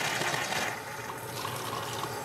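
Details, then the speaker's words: Steam injector with an air leak at a water-line fitting, fitting tightened further: steady watery hiss and trickle with faint uneven pulsing. Works slightly better but still drips and has a pulsating sputter when water is regulated too far. "we'll try it again with the fitting tightened a little bit more and it works a little bit better but it still drips and it still has that pulsating sputter when the water is regulated too far"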